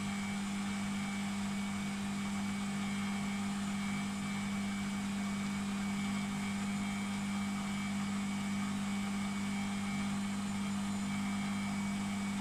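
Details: Beko WMP 601 W 6kg 1000 rpm A+ washing machine on spin: steady even whir and constant low hum, no grinding or scraping; the grinding heard during wash tumbling is absent when it spins.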